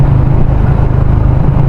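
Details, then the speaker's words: Yamaha Sniper 150 with newly installed UMA 32mm throttle body, riding at low RPM: low steady drone with uneven pulsing beat while lugging; bike surges and bucks at low revs. "Ito, pag low RPM ganyan siya. Kumakadjut-kadjut. Dinig nyo."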